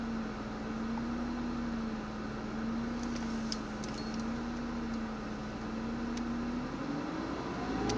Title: Ford Mondeo ST220 rough idle